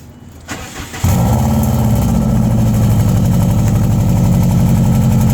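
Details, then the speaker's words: 2002 Subaru Impreza WRX with a newly installed DNA Motoring turbo-back exhaust, silencer fitted, on a cold start. It settles into a fast idle with a loud, raspy exhaust and a tinny metallic rattle. "That's still pretty loud. That's that cold start too. I hear it rattle. Hear that rattle?"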